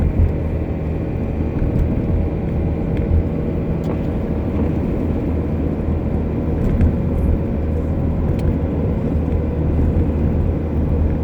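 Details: Car driving with a low drone and a faint whine over road noise. The "ween" whine is the differential (noisy for about six months); the "keen" is a wheel bearing (about two months). Still being driven.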